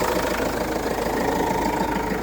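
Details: Renault Master 2 diesel at 306,000 km, towed in with smoke and a bad smell from the hood edges: idle with an irregular rattling knock and rough wobble; the crankshaft pulley had disintegrated and the belt had cracked.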